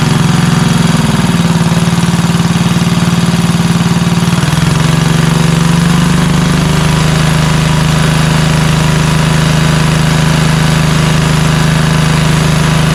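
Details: Craftsman LT2000 lawn tractor, Kohler Courage engine after cracked-block oil leak and carb leak repair: small engine settles into a steady, even low drone, no knocks or surging, running normally.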